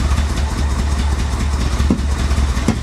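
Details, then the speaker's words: 1985 Chevy Corvette, abandoned, running on its own tank after fresh fuel: lumpy uneven idle with irregular low thumps and stumbles, likely misfire; owner suspects clogged fuel injectors. "oh wow that doesn't sound healthy that doesn't sound healthy at [Music] all"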